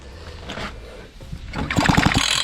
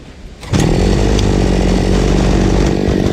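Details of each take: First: Fubag FPT 52 trimmer that won't start, after the spark plug was checked and a spark found. A quick recoil pull gives a few compression puffs but it never catches; fuel is pouring out and the engine is flooded, carb needle valve suspected. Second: Fubag FPT 52 two-stroke trimmer after fixing severe flooding: fuel screw opened half a turn and idle adjusted. Buzzes at steady idle, then revs cleanly to a smooth, even high pitch; runs fine.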